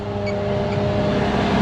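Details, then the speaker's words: 1986 Gleaner R6 combine diesel, started after sitting about 3 years once put in neutral. Settles into an even, steady idle with a smooth low drone, no knocks or misses; running fine. "There it is. Holy, she's alive! We've got life"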